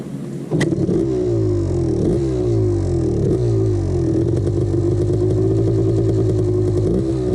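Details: 1989 Honda CR250 two-stroke revving up and down with a hollow metallic clatter over the exhaust, loudest off idle; piston slap the owner ignored.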